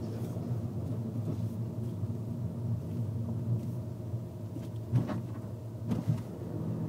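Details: VW Golf TDI Mk VI driving: low road rumble with a couple of dull thuds over bumps near the end; suspension knock.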